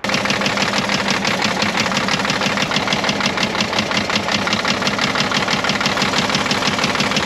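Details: Caterpillar 977L with 10.5L CAT diesel idling: sharp steady knock about three times a second over the clatter despite oil pressure holding in the green; injector knock suspected, cracking injector 6 made no change, cause unconfirmed.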